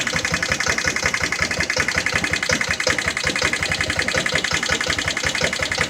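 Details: Jonway Xpressway 250cc single-cylinder scooter that wouldn't start at all, after first repairs: fast uneven running about three beats a second with rattly, ragged top end; still not running cleanly, cause suspected, not confirmed.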